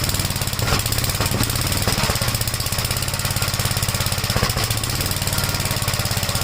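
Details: 1956 Gravely Model L single-cylinder, just started on choke, throttle lowered and choke off: fast thumping that stumbles unevenly with pops and misses. Oil-fouled plug and smoke at start; top-end/valve trouble suspected; rough running with popping.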